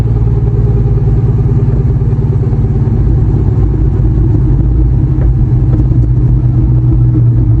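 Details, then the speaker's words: Terminator Mustang Cobra with a T-56 after four drag runs: deep, low rumble with an uneven fluttering beat from the rear, only while decelerating off throttle, never under acceleration; cause unknown. "It only happens on deceleration and I can't hear it accelerating, but as soon as I'm off the gas making this really weird noise."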